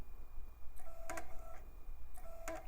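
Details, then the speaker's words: iMac G4 optical drive, removed and disassembled, powered on the bench with a disc clamped (laser visible through the disc): it spins with repeated short clicks and whirring retries, never settling. It fails to read the disc; the drive is suspected to be no good. "seems like that thing's having a bad time yeah seems like this drive can't quite make sense of that disc I think it's probably no good"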